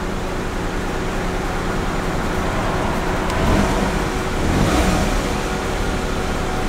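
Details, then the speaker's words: Kia Picanto just collected after dealer repair of a rattle: smooth, even rise and fall of revs with no rattles or knocks; engine sounds healthy. "we ain't got no more rattling ready what do you reckon no more rattling that's a good sign sounds good"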